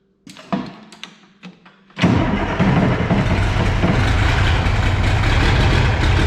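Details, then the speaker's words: Oliver 2050 diesel tractor started right after an oil change and top-off to fill the filters. A few cranking bursts, then it catches and settles into an even, steady low idle with no knocks or misses. Normal start and idle. "So I'm gonna fire it up and just to get the oil, you know, filters and everything filled."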